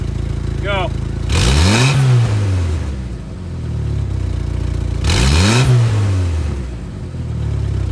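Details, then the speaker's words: 2.5L Jeep Wrangler TJ, warmed up, before muffler replacement: two throttle blips with loud raspy hollow bark and hiss as the winter-corroded muffler has a hole at its outlet and has broken off at the back. "the whole muffler is corroded and broke off at the back of the muffler"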